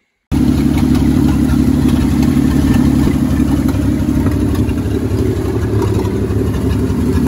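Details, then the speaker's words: 1952 Dodge M37 3/4-ton military 4x4, first start after sitting over ten years, oil just changed with an additive, still smoking: old six chugs at idle with an uneven beat and occasional dropped pulses; slight miss, owner suspects carburetor or stuck valves. "it's got a bit of a miss to it so probably got to go through the carburetor"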